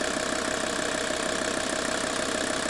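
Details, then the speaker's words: 1983 Mercedes 300D with dual-tank vegetable oil conversion, switched back from vegetable oil to diesel: brisk, even diesel clatter at a steady idle with a light tone on top, beats evenly spaced. "Listen to the sound. We are running on diesel again."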